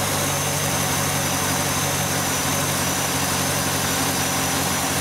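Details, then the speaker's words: V8 holding a smooth, steady idle at about 600 rpm with no miss, tick or hunting, immediately after installing an H-Tech MAF extension cord, before a 10–12 mile relearn. "okay okay here's your idle smooth as glass about 600 RPM this is immediately after installation"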